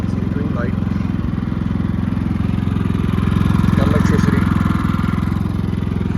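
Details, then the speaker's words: Predator 3500 generator, about 215–230 hours, running again after it ran out of gas following 11 hours of running and the owner feared a locked piston; steady, even low single-cylinder thrum at constant speed, no knocks or misses, green light on, normal. "anyway I'm gonna start it up just to show you that it runs and then I'm going to shut it off and talk some more"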